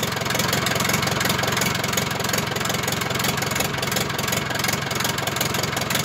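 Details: Zetor Crystal 8011 tractor diesel, first start after engine rebuild: even, regular diesel clatter at a steady idle with no misses, knocks or hunting; healthy normal idle.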